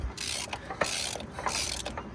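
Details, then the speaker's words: Old Craftsman riding mower with suspected rusted, seized piston rings, cranked by hand: three airy hissing puffs with mechanical clicks as compression blows back through the carburetor. "You could hear the compression backfiring through the carburetor. So with a little bit of work, this thing will be running."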